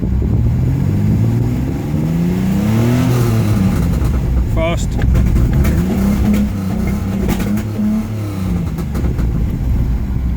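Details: 1987 Pontiac Fiero GT V6, test start: revs up and down, fine at idle and slow throttle, but rough and uneven misfiring when the throttle is opened quickly.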